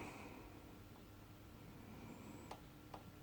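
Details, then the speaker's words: Suzuki DR200S farm bike, engine off, rocker moved by hand: a few faint light metallic ticks showing free play; intake valve clearance present. "can hear that little noise cut it so we've got clearance on the intake let's check the exhaust"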